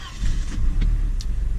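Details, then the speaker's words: 1994 Volvo 940 turbo, red block, just bought: starts right away, settles into deep even idle, hunts slightly on startup; no valve noise or piston slop, only injectors heard; healthy start. "yeah it seems the hunt at idle when it starts up just a little bit but if you listen to that guys I know the GoPro doesn't do it a lot of justice but there's no valve noise and there's no piston slop all you can hear is the injectors firing"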